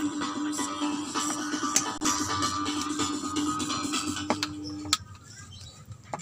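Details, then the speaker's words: PC active speaker playing music from a phone at full volume: thin, buzzy, crackly and very quiet sound with little body; output weak, distorted and humming, cause being traced. "Nah teman-teman bisa dengar suaranya pecah sangat kecil sama sekali tidak enak di dengar kita ini volume di speakernya sudah full"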